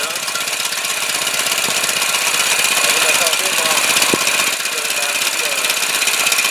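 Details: 212 clone small single-cylinder engine after replacing a carburetor rusted out by regular unleaded, on choke: quick, even putter with steady firing and no misses or knocks; runs well with the new carb.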